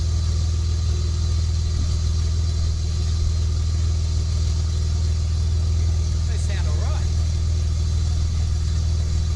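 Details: Project Bluebird at idle after fitting almost-new headers with gaskets: deep, steady, throaty rumble with no rattles, leaks or misfires; the engine sounds healthy through the headers.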